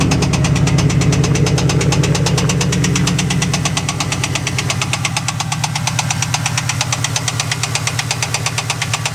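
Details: 1998 Trans Am LS1 V8 at idle: sharp, rapid, very regular deep bottom-end knock that stays clear throughout; owner suspects a rod bearing but is not sure.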